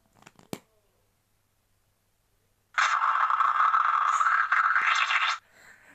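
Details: VHS tape, The Misadventures of a Harlep Girl Complete Season 1 (1998, print date 5 January 1998), during playback: silence, then a harsh, steady scratchy rasp for about three seconds before dropping away; unusually loud, cause unknown.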